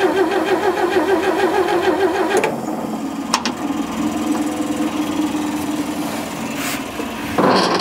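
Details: 1940s barn-find Chevrolet truck with a gas straight-six and manual fuel pump, first start attempt: the starter churns steadily about three times a second for a couple of seconds, but the engine never catches. It cranks without starting.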